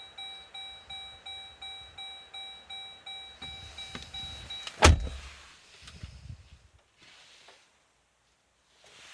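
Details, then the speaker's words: Jeep that would not start for over 20 minutes; starter turns engine over in steady pulses about four a second with a chime overhead, but it never fires; crank no start. "gone firm. And it's not starting."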